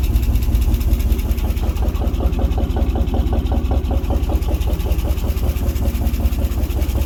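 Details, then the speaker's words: 1967 International 1200 pickup, revived after 20 years of neglect in Alaskan winter, first start after fixing accelerator pump leak: steady light tick, two to three per second, over V8 idle rumble; lifter tick suspected, not confirmed. "I'm gonna pretend I don't hear that lifter ticking"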